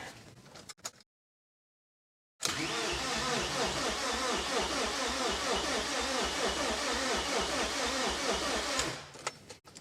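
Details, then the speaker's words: Freshly rebuilt BMW S14 engine on its first crank before first start, with the intake, throttle body and airflow meter fitted; the starter spins it at an even, steady beat, giving good crank and compression. "so that has pretty good crank pretty good crank that's pretty good compression you can hear it"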